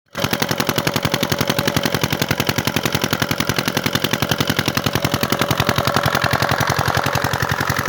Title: 8.5 hp diesel engine Waterpump pump set machine hard starting l Pani wala engine l big diesel engine